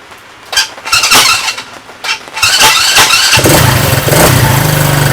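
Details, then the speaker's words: Coleman ATV Scrambler 125 cc that would not start (had spark) after a new carburetor, a new battery and draining the old gas: several cranking bursts, then it catches and settles into a steady, even idle. Normal start and idle. "and there you have it guys nice little China bike Coleman scrambler less than 25 dollars for a carburetor and uh put a new battery in it starts up and runs fine"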